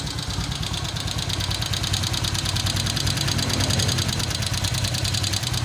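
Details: Honda Vario 125 LED scooter at idle, oil level slightly low: rough loose rattling clatter from the cylinder head, caused by worn cam chain tensioner and tensioner shaft.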